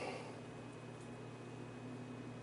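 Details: Vintage Arctic Air fan running after prying off painted metal hub cap, before hub cleaned and reattached: quiet steady low motor hum with soft air rush, no ticking or rubbing; normal running.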